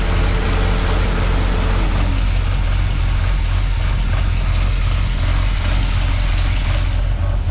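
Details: Holden VX SS Commodore V8 with home-rebuilt 4L60E automatic, warm after running through all gears, during leak check underneath; deep even burble, no knocks, ticks or misses; smooth healthy idle.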